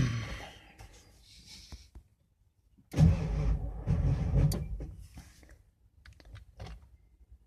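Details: 1994 Ford F350 7.3L Powerstroke with new batteries, CPS, IDM and starter solenoid, GPR swapped and alternator good: short bursts of cranking while the RPM gauge is watched for bouncing, and the engine never fires. Cranks, no start.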